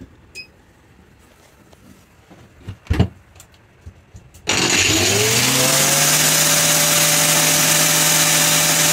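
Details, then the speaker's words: Grinder run as a load through a new inverter off a repaired wind turbine's batteries in freezing cold: after a few handling knocks the motor spins up to a steady high whine and holds even speed; it runs normally, with only a chain rattle noted. "yeah it's pretty quiet doing the rattle of the chain that's about it"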